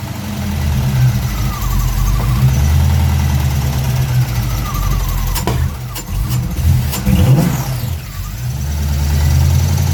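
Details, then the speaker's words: 1965 Pontiac Parisienne with a rebuilt 283 Chev V8, Turbo 350 and Holley Sniper EFI, timing just adjusted: deep V8 idle with a light fast tick on top and speed hunting up and down; owner thinks the surging idle is in the settings. "yeah okay if you can hear the chatter still here a little bit we are not too bad it's doing a little bit of a Sergio idle thing I think that's all just in our settings"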